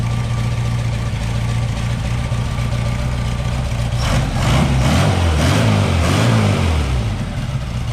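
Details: Green Porsche 914 with a newly installed 2-liter motor: steady low idle, then a smooth rev blip returning cleanly with no misses. Idle possibly low; could be idle or timing.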